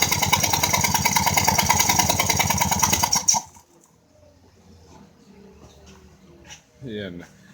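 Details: 2004 Ford Escape, which the owner thought had an exhaust leak: sharp, loud puffing ticks at about three per second over a fast idle, then shutoff. A spark plug blown out of its threads, repaired with a Time-Sert insert.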